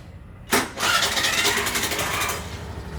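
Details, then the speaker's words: Suzuki Access BS6 scooter with a running-off complaint, after an idle air control valve modification that allows idle adjustment: starter whirr, then a steady even idle with no hunting or dying. "Hiding ಎಲ್ಲಾ ಕರೆಕ್ಟಾಗಿ ಓಕೆನಾ"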